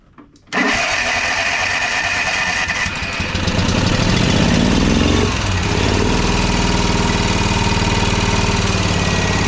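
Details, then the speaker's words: Toro TimeCutter SS5000 zero-turn V-twin that bogs and dies under load with PTO engaged: started with one spark plug unplugged, running on one cylinder with a choppy, lopsided uneven beat, confirming that side fires properly. "So that was just running on this side. I've got the other one here unplugged, so we know that we've got good function on that other side again."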